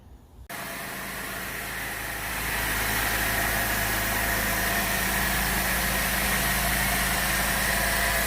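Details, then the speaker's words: Pontiac 3.6 L V6 after a second timing chain and cam phaser replacement (bank 1 chain had been slack): fires up instantly and settles into a smooth, steady idle with no rattle or ticking. "for the second time in a row is back running hopefully it stay running this time"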